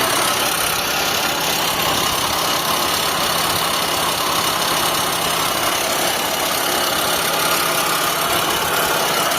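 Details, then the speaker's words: Mitsubishi Lancer 4G15 or 4G13, idling with A/C off and both fans running: constant gritty hiss and rumble, no knock rhythm; pressing reduces some noise but A/C compressor pulley bearing still grinds. "So ito yung maingay mga bossing ah. Didiinan ko 'to. Mawawala yan. Ayon. So nabawasan yung ingay mga boss. Ayan. Pero sa compressor meron pa din."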